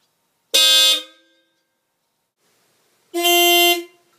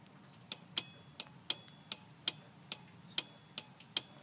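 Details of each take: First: Dodge Ram 50 / Mitsubishi Mighty Max with newly installed Hella Supertone horns on relay, 600-volt-rated wire: two loud, clean half-second blasts, bright steady tone, no rattle or fade; horns working properly. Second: Dodge Ram 50 / Mitsubishi Mighty Max, Hella Supertone horn install: relay on inner fender wall clicks sharply about twice a second but horn is silent, no voltage output because fuse block has no fuses yet.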